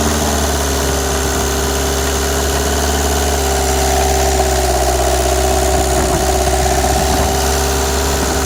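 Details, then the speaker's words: Renault Express diesel at steady idle after head gasket and timing replacement; even clatter with no knocking, ticking or squeal, no abnormal noise; normal idle. "d'après ce qu'elle à l'appui il n'y a pas de bruit anormal"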